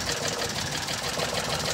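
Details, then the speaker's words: Mitsubishi Multicab 3G83 three-cylinder with a low-power complaint: fast ragged idle with missing beats, stumbling near stall. Unplugging No. 3 gives no reaction, and the coil swap didn't help. Misfire, cylinder No. 3 dead; owner's update pending. "number three mga sir Ayon so Ayun pa rin yung problema mga sir number three tanggalin muna natin ito"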